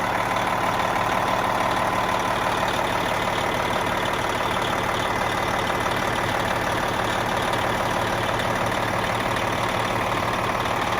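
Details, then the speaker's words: Diesel truck idling just after a worn turbo with over 1,000,000 miles was replaced by a new one; warm, no leaks, steady smooth rumble with no hiss. Normal idle. "I want to see if this turbo whistles a little bit more than it used to oh yeah you definitely hear"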